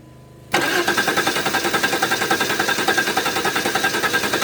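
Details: 1992 Chrysler LeBaron Convertible, 3.0 V6 with electrical issues, start attempt: starter spins the engine in a steady rhythm of about three and a half beats a second but it never fires; no spark seen, cause unconfirmed.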